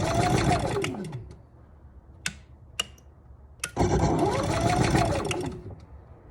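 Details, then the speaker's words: Camper generator with auto choke, electric start and remote; several rapid cranking bursts with pauses, never settles into a run; slow to start after storage, starter won't stay on long. "might take a bit it's got an auto choke on it"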